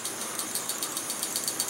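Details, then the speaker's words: MSR Whisperlite Universal stove burning gasoline, pressurized by a Primus Himalaya Omni Fuel pump; light, quick metallic rattle, about seven clicks a second, from the Shaker Jet needle moving up and down to clear carbon from the jet, normal operation. "you hear that little rattle and what that rattle is is a little needle going up and down in the in the stove there"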